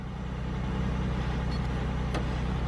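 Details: GM car that had P0300 random misfire, idling after the fuel pressure regulator was replaced, the oil changed and codes cleared, coolant at 88. Steady, even low rumble with no misfire, stumble or ticking; healthy idle.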